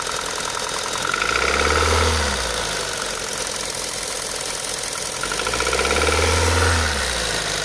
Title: стук двигателя Дайхатцу Пизар 2